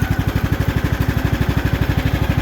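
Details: Craftsman T2400 riding mower after head gasket replacement for oil consumption: even single-cylinder thumping at steady idle, about ten beats a second, no misses, knocks or smoke; runs healthy.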